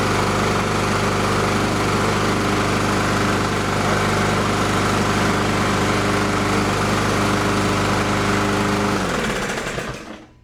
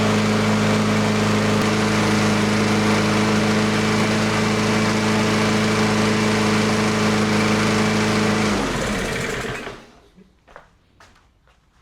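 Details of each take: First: Neglected Toro Recycler mower, Briggs & Stratton 163cc, started with a spark plug tester fitted while diagnosing a no-start: it runs at a steady fast beat for about nine seconds, then dies. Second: Toro Recycler mower, Briggs & Stratton 163cc engine, after ChatGPT-guided repair of an oil leak, a knock and hard starting: smooth, even single-cylinder drone with steady pitch, knock gone, clean shutdown; normal running.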